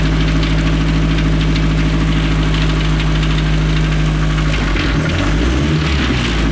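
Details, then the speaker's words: Restored 1932 Ford Model A dirt track speedster; deep steady even beat with no knocks or rattles: normal engine running. "Oh, God, man, that's as cool as it gets. 1932 Ford Model A dirt track speedster."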